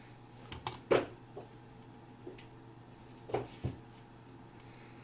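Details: Uncle's old PC at switch-on: a few sharp, irregular snaps and crackles with no fan spinning up, and a burning smell follows. The power supply is arcing inside.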